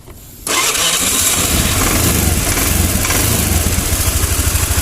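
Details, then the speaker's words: Honda Vario scooter that had stalled and wouldn't start with a black, sooty spark plug. It catches quickly after a short crank and settles to a steady, even idle with no misfire. Plug may foul again; slide valve to be checked. "Oke, motornya sudah menyala. Nah, jika sudah berjalan seperti ini, jangan berhenti dulu, jangan senang dulu."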